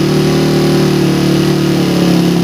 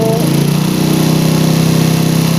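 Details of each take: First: Engine on PWK 28 carburetor during air-screw setting test, revved around 4000 to 5000 rpm, air screw ending at 4 turns out: high steady rev falling smoothly to even idle, no popping or hesitation; air setting sounds right. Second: PE28 carburettor with the original needle, air screw closed 1.5 turns to only 1 turn out: uneven revs that sag and stagger at low speed as if about to die, because the idle mixture is now too rich.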